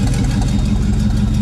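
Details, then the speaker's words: LS 6-litre mega truck engine idling after its injectors were cleaned with brake clean and WD-40: a lumpy idle with an uneven, stumbling beat. Owner thinks one cylinder is still hiccuping and hopes it clears out. Misfire at idle, cause unconfirmed. "Now I think we still got one hicking up here a little bit, but it'll run enough for it to hopefully clear out."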